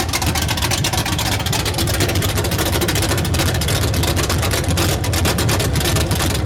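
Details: 383 stroker V8 with a Comp Cams XR282HR cam: a loud, lumpy idle with an uneven chop at about three beats a second, choppy and unsteady; rough idle.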